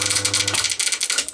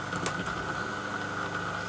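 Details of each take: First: Single-phase Crompton Parkinson induction motor spinning down: fast light clattering ticks over motor hum, slowing with speed; cooling fan loose on rotor shaft, fins move freely without the outside moving. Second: Single-phase Crompton Parkinson induction motor running: even, quiet hum with one steady thin tone and no knocks, scraping or rattle. Normal motor run; the earlier noise was traced to a loose cooling fan.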